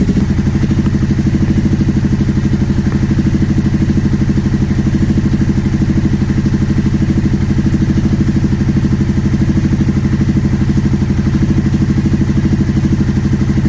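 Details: 2009 Aprilia Shiver SL750 twin, after replacing both air pressure sensors in the airbox to cure idle jumping up and down: even, steady idle, regular low beat, no misses or hunting; evap and tank air hose ruled out.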